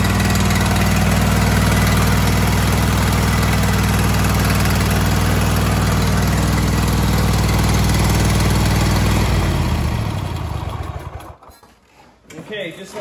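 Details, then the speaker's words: Kohler KT735 7000-series twin on a Cub Cadet SLX50 tractor at idle, running at half power; lumpy uneven low thump, firing on one cylinder; spark testers confirm no spark on the left cylinder, ignition coil fault. "I suspected the left cylinder is down now you could have other issues but right now we have spark issue we 100% know that we have an ignition problem"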